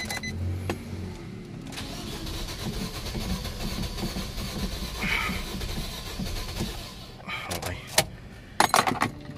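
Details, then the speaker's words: Nissan Almera crank-no-start; starter churns engine steadily but never fires; fuel line pressure tested and found weak, fuel pump weak, pump to be removed. "Wala. Mahina talaga. Mahina yung presyo mahina no?"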